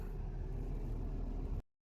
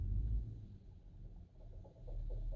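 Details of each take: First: 2014 Nissan Xterra after replacing the knocking AC compressor and the condenser, then vacuuming and recharging: a brief, low, even engine-bay hum with no knock or rattle. The AC now blows cold; normal running. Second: 2014 Nissan Xterra running: deep engine rumble with uneven fast knocking from the failing AC compressor, which also no longer cools; compressor and condenser being replaced.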